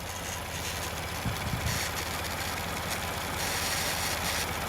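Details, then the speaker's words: 2017 Ford F-150 3.5L EcoBoost after engine swap, warm idle: steady idle with a light airy hiss and faint flutter from the new brown PCV valve, described as normal for these valves. "and that is the PCV and they all do that they all all the brown ones seem to do that um so that's perfectly normal it is new"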